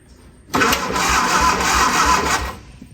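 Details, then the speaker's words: Cranking on a barn-find Austin-Healey Sprite after a head gasket change, valves not yet readjusted: steady, even, brisk cranking for about two seconds with no drag or catches; starter spins the engine freely, normal cranking. "That sounds good."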